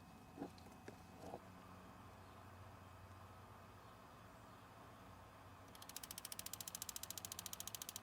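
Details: Ford Fusion with check engine light, codes P0443 and P0456: fast, even train of light ticks from the EVAP purge solenoid; circuit tests good and valve clicks, but it is stuck open.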